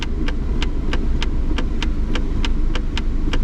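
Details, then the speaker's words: Shifter check at idle: crisp light clicks about three a second over a steady idle as the shifter moves drive to park; shift lock solenoid clicking and working normally, customer's complaint not reproduced. "let's see uh check the shifter operation drive apart i can i can hear it clicking"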